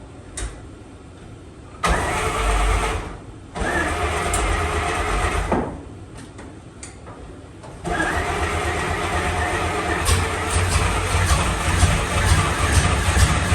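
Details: 1954 Fargo half-ton flathead six on first startup after piston ring install and valve adjust, with the carb float overflowing: several cranking bursts, then it catches and settles into a steady, even idle, smoky from oil on the manifold. Normal running.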